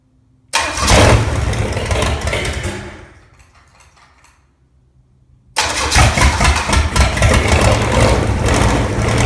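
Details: Original, very-low-mile 1968 Buick 430 V8 (ex-'68 Riviera) after fixing a bad ground at the distributor points, first run in decades, carburetor untouched: a brief crank, then it catches and settles into an even V8 idle with no misses, on all eight.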